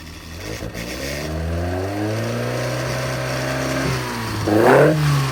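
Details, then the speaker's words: Hot engine revving up and blipping higher with clean even tone, no timing chain clatter, after timing chain tensioner blade modification; runs quiet; normal running. "Now, you might notice there that even hot it runs like down to 3 in and that's good to go."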